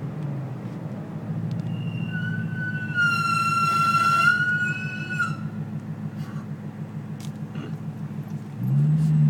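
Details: BMW E92 M3 with Pagid Yellow track pads, squealing loudly after a track day: a sharp high-pitched squeal rising for about two seconds over low rolling rumble as the car slows.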